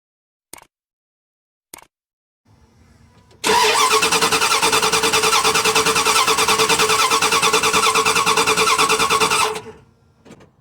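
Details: Dodge Ram/Dakota 3.9/5.2/5.9 gas engine, ignition coil shown good with spark: about six seconds of brisk, even cranking near three beats a second, no firing; crank no start.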